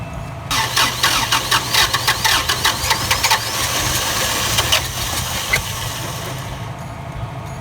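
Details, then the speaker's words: Toyota FJ60 Land Cruiser barn find, cold winter start after a new carburetor and fuel pump, burning off Sea Foam and smoking heavily: cranks, catches, then settles into an uneven, lumpy idle with misses; runs rough. "She actually sounds pretty good though."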